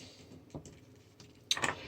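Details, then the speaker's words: Marantz PM7200 amplifier after repair (capacitors, transistors, two blown 500 mA slow fuses replaced): faint tick then crisp double click as the protection relay pulls in at power-up; relay now working normally. "and it looks like the relay style working now so i can switch the class e no problem"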